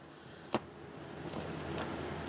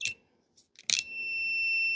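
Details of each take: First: Husqvarna 150BT backpack blower that won't shut off by its switch: loom rustles while the trigger-to-coil wiring is wiggled, then the meter beeps steadily as the wire flexes. Broken copper wire inside insulation. Intermittent open circuit. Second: Husqvarna 150BT backpack blower after splicing the broken kill-switch wire: after a few clicks the meter gives a steady high beep that holds, continuity on the red wire end to end, wire intact.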